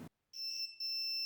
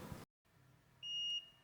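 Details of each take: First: Multimeter in continuity mode testing a wire or connection: clean steady high beep with one short break, confirming the wire or connection is intact. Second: Multimeter in continuity mode: high beep sounds briefly, cuts out, returns in broken bursts; inconsistent beeping means resistance or a break inside, cable possibly damaged or not well plugged.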